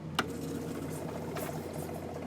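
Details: High-pressure aeroponic system pump switched on to fill the accumulator tank before bleeding off trapped air: a switch click, then a steady, even buzzing hum with no knocks or surging; running normally.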